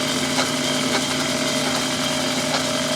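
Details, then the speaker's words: After sharpening the cutting tool with a diamond hone: steady spindle drone with even cutting hiss, making nice curls, no harsh scraping though slight squeal noted earlier; clean cut. "well that's making nice pretty curls oh yeah look at that yeah a few minutes with a diamond hone and makes a lot of difference on the way that thing's cutting"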